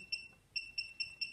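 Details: Low-cost desktop RFID reader streaming reads of two tags to a cloud database: short high beeps about every fifth of a second, quiet room behind; reader logging tag reads normally.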